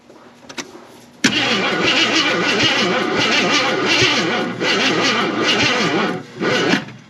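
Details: 1981 Jeep Wagoneer parked 33 years, on 200-amp jumper; labored, uneven cranking once or twice a second that never catches. Slow cranking, no start.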